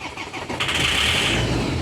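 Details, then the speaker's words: 2007 Land Rover Defender, crank no-start: engine cranks, RPM and crank sensor working, fuel pressure drops quickly (leak suspected); on starting fluid it catches and revs cleanly, pointing to a fuel delivery fault. "so that means it's a full issue so that means the engine can start so it says that it's a full issue"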